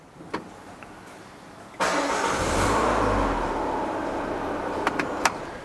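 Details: Peugeot 408 after an immobilizer fault was fixed by key repair and programming, with both keys now working: quiet, then the engine catches at once and settles into a smooth, even run with no misfire or knock; a normal start.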